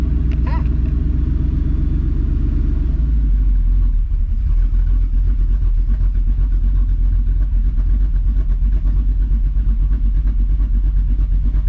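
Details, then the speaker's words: Ford F150 on Multitune, Ghost Cam lobe idle tune, truck pulled up against garages to hear it: a deep, choppy idle with uneven lumpy beats over low exhaust rumble, still hasn't stalled; deliberate cam lope idle. "This chopping good. Still hasn't stalled."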